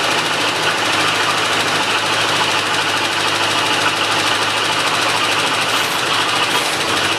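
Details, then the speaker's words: 1985 Chevrolet C10 on first start in ten years, after a new mechanical fuel pump, gas tank, fuel lines, starter, battery and distributor module: super high idle with a light, rapid top-end tap, seemingly passenger side, cause unknown; Lucas oil treatment added. "Alright, we got the truck to start. As you can see, it was a super high idle, and we got a tap on the top end. Sounds like on the passenger side."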